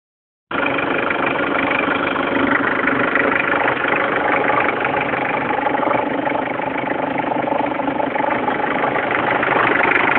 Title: bruit moteur